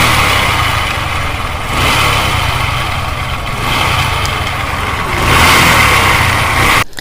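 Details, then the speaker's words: Bajaj Discover 125cc: single-cylinder engine running loud with a harsh, clattery top-end rattle over the exhaust rising with throttle; abnormal engine noise, cause not yet confirmed. "आपने देखा कितनी बड़ी तरीके से गाड़ी के अंदर आवाज़ ए रही है"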